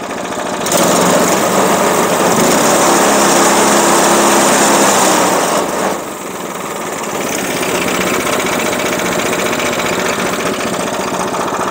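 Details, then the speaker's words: Small petrol engine on a Harbor Freight bandsaw mill, first run after choke start: brief throttle blip then a steady even idle with no knocks or misses; healthy. "Give it just a wee bit of throttle. That's idling."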